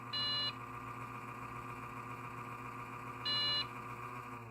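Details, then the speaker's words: Dell XPS 8500 desktop with i7-3770 and 20 GB RAM, powered on: steady fan hum, possibly a bad fan, with sharp high beeps about three seconds apart, counted as four; owner suspects a faulty video card or dirty contacts. "Three. Well, actually, no, that wasn't three. It's four. Sounds like a video card problem to me, so go figure, eh?"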